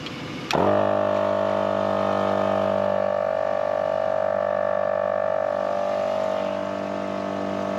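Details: Morrflate Ten Six air compressor inflating truck tires from about 15 to 35 psi through a DIY four-tire hose system, truck running: sharp start, then steady droning buzz holding pitch; runs evenly under load.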